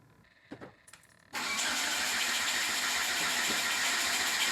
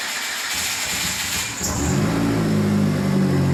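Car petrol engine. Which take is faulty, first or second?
first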